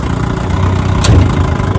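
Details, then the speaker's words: Restored 1957 Johnson 10 hp QD18 outboard with rebuilt carburetor and magneto, on a lake test run after about ten minutes of running: a steady, even low burble with no misses or knocks. Normal, healthy running. "And I mean, she runs great. I've been running her about 10 minutes now."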